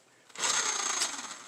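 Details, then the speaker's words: RC car brake set up on the bench: throttle spins the tire, then on release a high whir dies away within about a second; brake set too tight and drags on the drivetrain. "See how it slowed down? That's because it's too much."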